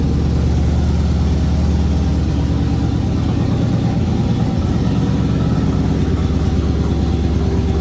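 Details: 1981 Ford Bronco 351 V8 first running after no-start: timing confirmed, fuel added, carb refitted on homemade adapter plate after backfire lifted it; steady deep idle rumble with slight lope through small resonator muffler and large tailpipe; healthy.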